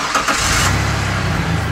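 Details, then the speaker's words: Truck idling after a large rusted exhaust hole was sealed with exhaust putty cured by heat gun, without a welder: steady, even idle with no puffing or ticking; no bubbles or air escaping, so the leak is sealed. "وہاں کوئی نہیں ہیں بلبلوں میں کوئی ہوا نہیں ہے اور یہ ہے خاموش تو ہم اس وشال سوراخ کو سیل کر دیتے ہیں"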